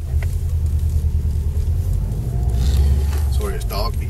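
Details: Subaru Impreza WRX (new-age) 5-speed gearbox after centre diff bearing replacement and shaft shimming: steady low drivetrain rumble on the road with no whine, so the gearbox is quiet and healthy.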